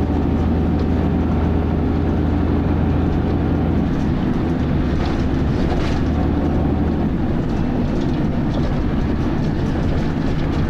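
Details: Dennis Arrow bus driving along with a loud, rough, continuous grinding over the deep engine and road noise.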